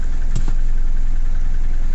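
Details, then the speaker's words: Nissan Navara D40 2.5 dCi diesel with P1275 fuel pump and P1622 codes, just fired up after priming fuel to injection pump, possible air in system: steady low clatter at idle, no rise in pitch, won't accelerate. "Oh, we're fired up. But we're not getting acceleration."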